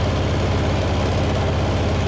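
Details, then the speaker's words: $300 Bobcat skid steer, heavily used, no oil changes for five years: low, lumpy, loping idle; seems to run on three cylinders, distributor suspected. Engine misfire. "Okay, so it runs, but I think it's running on three cylinders. And I suspect that it's the distributor."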